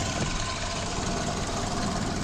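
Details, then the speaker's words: Restored 1930 Ford Model A Deluxe just started, hood open: even steady idle with loud hissing rush from the carburetor intake over the four-cylinder beat; healthy. "open up the hood here make sure we don't hit anything with it and there it is all in its little self you can hear the carburetor makes quite the noise"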